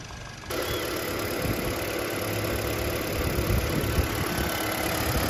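Engine settles into a steady, even idle with a soft uniform patter and no knocking or ticking; a normal healthy engine.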